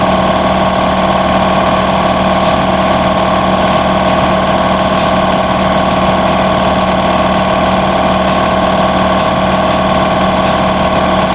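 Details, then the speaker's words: Shop air compressor with homemade air dryer, started cold at 100 psi; loud, even motor drone holding constant while pumping up about 2 minutes to cutoff near 145-150 psi; runs smoothly, normal. "Alright, so it just compressed up to about 150. Actually it cut off at like 145, it looks like, on my gauge. Ran for about 2 minutes."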